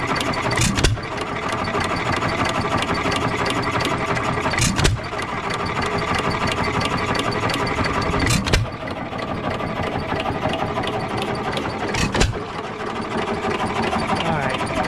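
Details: Economy 3 HP Model 3G single-cylinder engine, believed 1923, auction buy: steady chuffing with a firing bang every few seconds, no rod knock between strokes though owner was unsure about the rod; running fine.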